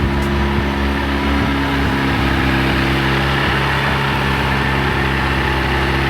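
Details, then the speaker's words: VW Golf Mk1 AWD (4motion) with 1.8T engine, after engine and gearbox refit with new clutch, flywheel and pressure plate: steady, even drone at a noticeably raised idle with no hunting, high because there is no idle control valve. "You can hear the idle is quite high, but again it's because I don't have idle control."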